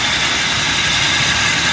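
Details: Toyota Revo gasoline distributor-type engine, fairly new, running warm; constant rough gritty whirr like a dry bearing from power steering belt tensioner pulley; bearing worn loose, pulley and bearing replaced.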